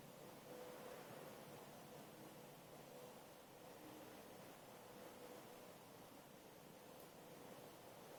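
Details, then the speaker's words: Ozzirt-style waste vegetable oil heater lit from a cold start without a wick, the whole system heating up; steady rushing burner roar with faint irregular crackle from a tiny bit of moisture in the oil; normal burner operation. "you can hear it crackling now that's what you want to hear that's usually tiny tiny bit of water or moisture in your waste vegg oil"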